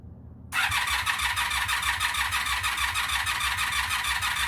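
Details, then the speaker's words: Rebuilt 2002 Honda Magna VF750C, first start in 8 months after the rebuild, new clutch cable and fresh oil; quiet, then the engine catches and settles into an even, brisk idle with a steady pulse; starts easily, healthy. "oh man I am so surprised on how easy that starts oh there's so much happiness"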